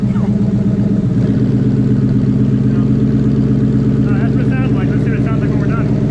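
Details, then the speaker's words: 2017 Ford Mustang GT, 5.0 Coyote V8, idling with the cat-back exhaust removed during an MBRP cat-back install: a loud, raw rumble with a harsh open bark and a strong fuel smell. Straight-pipe exhaust. "so if you're ever wondering what these sound like with no exhaust just straight cash chris is going to give us a good yeah it's start loud and it smells like a lot of fuel"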